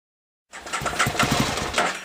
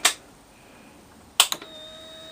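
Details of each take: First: 2003 Aprilia Tuono Fighter after a temporary fix to a corroded connector, fuel pump not priming at ignition-on: engine catches, then runs ragged and uneven, stumbling and sagging before dying; fuel starvation stall. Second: 2003 Aprilia Tuono Fighter after cleaning and tightening a corroded fuel pump connector, ignition switched on: click, steady mid-pitched hum for about 2.5 seconds, second click; fuel pump now primes normally.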